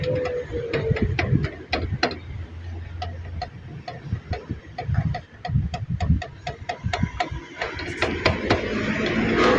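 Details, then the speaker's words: Chevrolet Spark with all underside parts already new. Loose metallic clacking from the passenger-side front brake caliper when it is shaken. Worn sliding pins with excess play cause the rattle and knock over bumps. "Kaya ayan nakita namin dito na yan 'yung mga sliding pin mga boss. May puang na allowance mga boss. 'Yun ung nagco-cause ng kalansing at yan naglalagutok mga boss."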